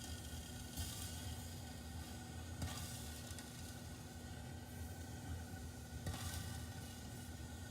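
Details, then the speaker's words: Rheem gas water heater with a clogged inlet/flame arrestor screen starving the burner of air and a leaking tank: faint hissing spits every couple of seconds over a low burner rumble as water drips and sizzles inside the combustion chamber. "it's just plain not getting enough air and it is getting some it's just not getting enough and you can hear that water dripping inside there"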